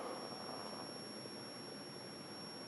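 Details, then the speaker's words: Admiral 20B1 television on first power-up after restoration work: steady, piercing high whistle at one pitch over soft hiss; horizontal oscillator squeal, current near 1.5 A on the meter. "sure sounds like we got a horizontal oscillator screaming it's like on the 1 point 5 ampere range of my current meter and it's just at the edge of that which seems about right"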